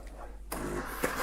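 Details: Saeco Aulika Top professional bean-to-cup machine, cappuccinatore milk circuit cleaning cycle: a click, then steady pump buzz with rushing water and hiss as the rinse starts. This is normal.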